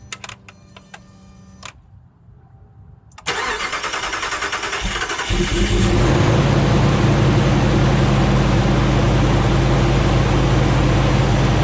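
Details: Rebuilt 2009 Hemi 1500 truck after months of work: short crank, then the V8 catches cleanly and settles into a smooth, even idle, no misses or knocks, about 87 psi oil pressure, no longer jerking.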